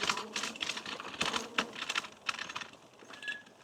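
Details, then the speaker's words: Victrip Titan e-bike riding, first ride since a crash: light irregular clattering a few times a second over faint riding noise from the large battery rattling in its mount; battery rattle. "You can hear the battery. It's so big, and it is so rattly."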